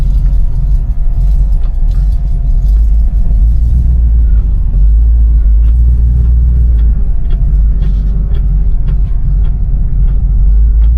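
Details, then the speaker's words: 1960 Chevrolet Impala with 348 V8, no power steering, on a test drive at about 20-25 mph under light throttle: deep even grumble with no misses or knocks; exhaust history unknown; normal V8 exhaust note. "sounds good. This 348 has a decent little grumble."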